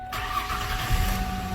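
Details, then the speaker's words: 1990s–2000s Ford Ranger / Mazda B-series after replacement ECM/PCM and key programming procedure: brief crank, then catches promptly and settles into a steady, even idle; clean start, TPMS light still on. "right on she fired up that TPMS light that'll be a job for another day I think now she's purring like a kitten"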